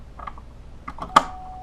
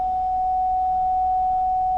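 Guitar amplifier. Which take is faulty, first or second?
second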